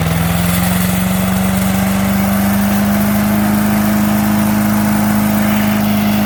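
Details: 5 HP MTD wood chipper/shredder after carb kit replacement: small single-cylinder holds steady even drone with no hunting or misfire; normal governed running.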